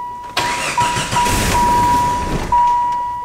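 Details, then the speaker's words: Jeep that ran and drove fine before a tire came off: short crank, catches and runs roughly about two seconds, then fades and dies under a steady chime; starts then stalls, cause unknown. "like it'll fire up but then i'll just die see what i'm doing see what it's doing honestly people i cannot tell you why it's not starting"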